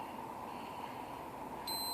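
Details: Blown overdrive relay from a Volvo 240 automatic (3-speed plus overdrive) that dropped out of overdrive, opened on the bench: faint hum, then a steady high-pitched multimeter beep confirming continuity while tracing the circuit.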